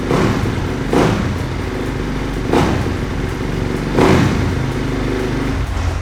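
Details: 2010 Honda CRF250, cold and not started for about two days, running on choke. A steady fast single-cylinder idle with a few throttle blips, clean and even firing. Normal cold idle on choke.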